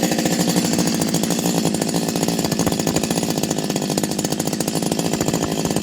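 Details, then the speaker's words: Stihl 025 chainsaw fully rebuilt from the bottom end up, new seals, original bearings kept, modded muffler: crisp, rapid, evenly spaced two-stroke firing at steady speed with no misses or rattles; normal healthy running after rebuild. "um change the seals obviously so nice running chainsaw nice noise everything"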